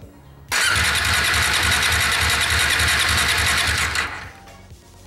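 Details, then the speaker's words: New Bajaj Dominar 400 motorcycle that won't start; starter cranks briskly in an even chugging rhythm about three and a half seconds, never fires. Spark plug barely damp after 3–4 cranks, suggesting a fuel delivery problem. "pero ahorita para 34 marchas debería de estar ahogada de gasolina porque no está arrancando"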